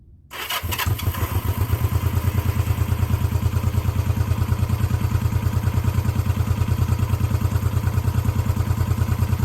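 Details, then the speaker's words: 1972 Honda CB350 twin, already warm, after new coils and points, cam chain and valve adjustment, cam seal, rebuilt carbs and new petcock: starts instantly, then an even, steady idle of two or three pulses a second, no misses or ticking; healthy idle. "she just purrs like a kitten um where do you see the ride she screams man it's just what a great little bike to ride"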